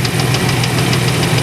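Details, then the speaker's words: 1994 Chevrolet Astro van, idling: rapid, even clunking, several knocks a second, over rough idle, same with belt on or off, so internal. Cause unconfirmed; will pull upper plenum and check oil filter. "making that clunking noise with the belt on or belt off doesn't matter so I'm going to pull the upper Plum and get down to where the balancea shaft"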